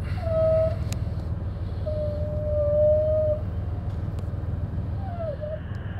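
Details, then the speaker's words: Copart project Impala reversing after front wheel bearings replaced: rising and falling squeal over low rumble from rear; owner suspects rubbing brake or bad driver-side rear bearing, unconfirmed. "there's still problems in the back is you can hear when we back up I've either got a brake rubbing or the bearing back there and the drivers rear is screwed it still turns but it's making noise"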